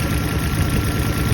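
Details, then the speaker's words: Toyota 4-cylinder petrol engine idling unevenly with a skipping, stumbling beat; check engine light flashing, code for cylinder 3 misfire. "As you can see, the car has a noticeable misfire. And this is a 4-cylinder, right?"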